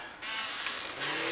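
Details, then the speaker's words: Traxxas X-Maxx RC truck after a jump landing, powered up with three tires held: high thin electric motor whine rising with throttle, pinion turns but truck won't drive; owner suspected center diff, drivetrain slipping from broken driveshaft. "yeah she don't go it doesn't sound like anything chewed up it's not like something's just straight smoked"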